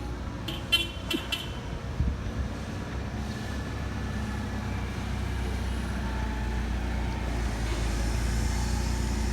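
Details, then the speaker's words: 2015 Chevrolet Silverado with IHC 4/6 drop kit after repair (front arms realigned and re-greased, rear shocks and bushings replaced): steady low road rumble while driving, no more front-end clunking, suspension tight and quiet. "realigned everything re-greased everything everything looks good no more clunking in the front"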